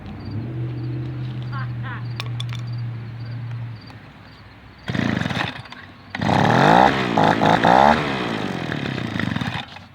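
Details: Echo PB-210e two-stroke leaf blower, 25+ years unmaintained, after spark plug connector/boot repair and carburetor high/low screw adjustment: climbs to high clean full-throttle scream; running well.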